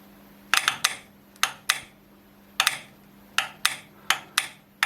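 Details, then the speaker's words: Servo motor brake on a sawmill Z-axis, 24 V DC applied manually from a power supply; crisp metallic clicks in pairs as it engages and releases, brake is fine, fault lies in supply voltage. "you know that was a relief this is how it should sound like it after all the break is fine"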